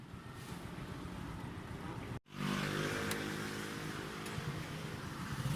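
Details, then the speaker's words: Bajaj CT125 single-cylinder that stalled on a trip and would not start, fixed by running it at high rpm to burn off unburned carbon: now idles steadily again after a brief cut. "o so ayan nakita niyo naman mga boss balik na uli sa dati"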